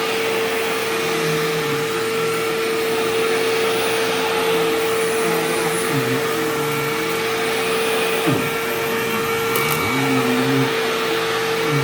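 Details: Sharp Twin Energy vacuum cleaning living room: loud airflow roar with constant piercing high tone on top; owner notes it faded after running a while and partly returned after shutoff, cause unknown.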